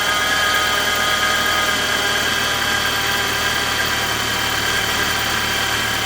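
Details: 2016 BMW X3 xDrive28i with N20 petrol engine idling: a steady high-pitched whine over the engine, constant with speed; diagnosed as a failed belt-drive pulley bearing.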